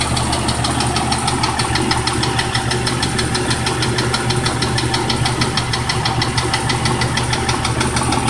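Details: 1997 Cherokee engine at idle with a sharp, regular ticking knock, about two per second; suspected bottom-end rod knock, not confirmed.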